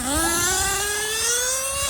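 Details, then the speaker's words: LRP 32x AMR modded nitro off-road engine during break-in, tank nine, after richening high-speed needle a quarter turn; shrill steady rev climbs cleanly with smoke through the top end, no sputter or bog, throttle held only 2–3 seconds. "now we're getting smoke all the way our top end which is good again you don't want to hold down the throttle for more than two or three seconds because it's an uh off-road engine"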